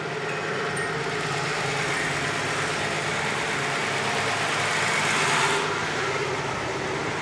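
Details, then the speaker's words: Warmed-up Z car settling at about 750 rpm, the idle spec in the manual and on the sticker, after a high idle: a steady, smooth hum with no knocks or misses. "no it's idling it a much better idle speed now about 750 which it should according to the manual and according to the sticker that's undernea"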